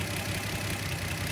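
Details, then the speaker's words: 1972 Datsun Cedric warming up before a compression check: smooth, even idle with a steady low hum and no knocks, ticks or rattles; normal idle, thermostat possibly not opening. "so far so good engine is quiet nothing noisy things like rattles or anything like this"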